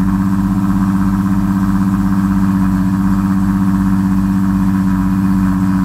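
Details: Infiniti G35 with P0507 code, vacuum leak/throttle body concern, just fired up: steady even hum and smooth drone, no knocks, idle high around 2000 rpm before Maxisys Mini idle relearn adjusted it to 600 rpm.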